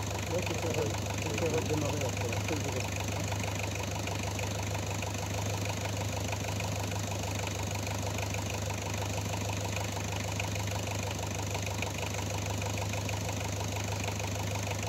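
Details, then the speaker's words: Renault 11 diesel: steady idle with an uneven clacking, roughly three knocks a second, over a strong low drone; idle clatter, source unknown. "Oui, on entend sortir là. Ah, on entend claquer."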